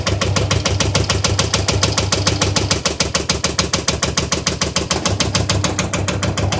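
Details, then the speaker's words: Washing machine during spin: rapid, evenly spaced hard knocks, several each second, hammer steadily from inside as the drum bangs, most likely because the shock absorbers holding the drum are worn from frequent, heavy use. "Если вы слышите этот звук в своей стиральной машине, то первый, который представляет собой стук внутри, — это удары внутри самой стиральной машины. В большинстве случаев это износ амортизаторов, расположенных внутри стиральной машины и удерживающих барабан от ударов, то есть от частой стирки и интенсивного использовани"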